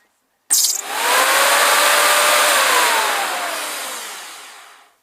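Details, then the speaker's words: Flymo lawn mower after belt repair, on its test run: the motor whirs up and holds a smooth, steady whine with the blade turning, a slight squishy noise likely from a tight belt. Normal running. "Seems to be alright. It's making a little squishy noise, probably because the belt's a little tight, but once it gets going it should be alright."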